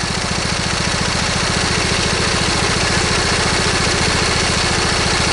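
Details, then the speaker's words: Briggs & Stratton V-twin lawn tractor engine at idle: steady thumping about three and a half beats a second with slight lope, one cylinder weak; owner suspects a miss, possibly ignition or valve cover gasket related, not confirmed; uneven idle. "now put the engine idle down you can hear that it's running on you can hear that you know these engines are actually fairly balanced from the factory so to have that slightness to them that you can pick up on"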